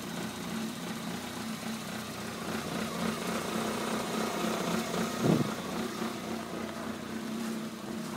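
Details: 1993 Corolla cold start at 7 degrees: lumpy, irregular idle with occasional stumble, no check engine light. Happens only below freezing, milder on 93 octane, clears after about 45 seconds.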